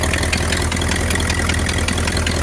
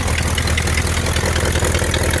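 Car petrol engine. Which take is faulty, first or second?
first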